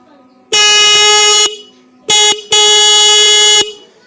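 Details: Bike horn on a 12 V supply after an adjustment screw was tightened: loud, steady buzzing blasts, a long one, a short blip, then another long one, all at a solid pitch; the horn works normally.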